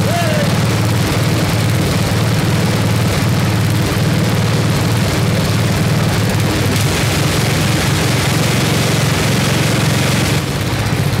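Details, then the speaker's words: 1979 Toro 826 snowblower, 8 hp Briggs & Stratton, revived, freezing cold evening: governor rod pushed against spring to raise rpm; loud, steady drone at raised speed, firing evenly with no misses or rattles; runs fine. "there we go so all right that's awesome we got it will it run and yes it does this thing's awesome i am super psyched"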